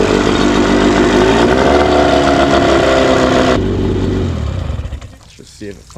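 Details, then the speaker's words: Johnson/Evinrude two-stroke outboard, just restarted after the enrichment knob was turned about half a turn left: fast, steady buzz at idle. Idle is slightly high and is backed off about an eighth to a quarter turn. "fires right back up. Idle's maybe a little bit high. I can back it down here. Idle's slightly high."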